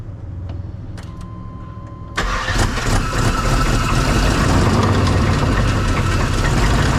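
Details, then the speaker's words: 1999 Suburban 3/4-ton 454 4WD with good compression, running without its mass airflow sensor and with an exhaust leak: it settles into a rough idle with a steady metallic rattle. The owner suspects something rolling in the oil pan; internal engine knock. "yeah it sounds like there's something rolling around in the oil pan too"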